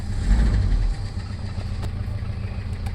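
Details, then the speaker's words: Toyota Revo diesel after fixing crank-no-start with no check-engine light, traced to the ECU/fuel/starter relays: steady, even low idle with no misses or knocks, idle speed dropping and settling smoothly. Normal idle. "Ayun at bumaba na ang minor niya, mababa na ang minor niya."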